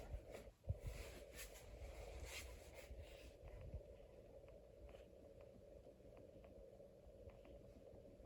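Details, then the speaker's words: 2003 Casablanca 19th Century ceiling fan in weathered copper: a steady, mid-pitched motor hum under the blade whoosh, amplified by metal-to-metal mounting with no rubber isolation; owner thinks the bearings are wearing out. "So when you change the speeds and when the motor runs, it's really amplified. So it's kind of noisy. I can even hear it humming from here."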